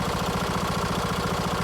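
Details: Kohler mower engine test run after valve cover gasket replacement (cork Kohler 20 041 13-S with RTV silicone, screws about 30 in-lb). Quick, regular firing pulses at a steady speed with no misses, rattles or knocks. Running clean.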